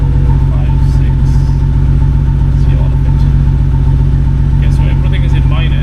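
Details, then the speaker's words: BMW N52 idling with a heavy, uneven stumble about two beats a second, no current code; cylinder 2 misfire code earlier, coil swap moved misfire to cylinder 1 and smoothness live data confirmed faulty ignition coil. "Okay. It's in the one plus. So, it was the coil. So, here I got some data to say that it is the coil."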